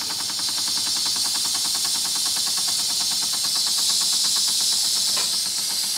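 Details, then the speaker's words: Wilesco D6 model steam engine with the whistle opened to bleed pressure and slow it down: a loud steam hiss over slow, even chuffing at about three beats per second, ticking over smoothly at low pressure; normal slow running. "now I'm going to open the whistle up a little bit here to lose some pressure we'll see how slow we can get the engine to [Applause]"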